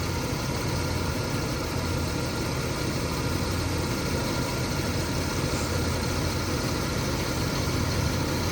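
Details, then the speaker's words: 1978 Lincoln Mark V Pucci Edition barn find with 460 V8, back running after years of sitting, vacuum advance replaced: fires right up into a low, steady, even rumble with no knocks, misses or ticks. Normal idle. "okay so we're going to go ahead and turn this thing on and it fires right up"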